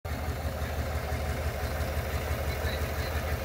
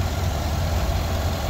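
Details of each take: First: P0300, P050D, Misfire Cylinder number 2, Chevy Suburban 5.3L v8 2021. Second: 2021 Chevy Suburban 5.3L V8 after repair of a cylinder 2 misfire (P0300, P050D) with cylinder deactivation not cutting fuel: smooth steady idle, all cylinders working, zero misfire counts, no check engine light.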